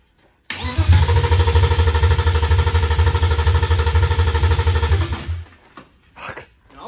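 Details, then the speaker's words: BMW E36 318i right after engine swap, no ground wire fitted from engine to chassis: steady starter churn for four seconds, catching briefly but never running; crank no-start, missing ground suspected. "wait did we put the ground nope we didn't put a ground on I mean it's cranking but that would that keep it from starting probably keep it from starting"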